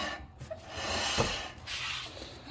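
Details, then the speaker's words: Newly fitted Brembo front caliper on 2009+ Hyundai Genesis Coupe, bolt-on without custom bracket: faint dry scraping comes and goes as the wheel turns; caliper rubbing the rotor, needs adjusting out. "I had to adjust that caliper out so it won't rub to the rotor. See, you could hear that grind sound, but man, this is awesome."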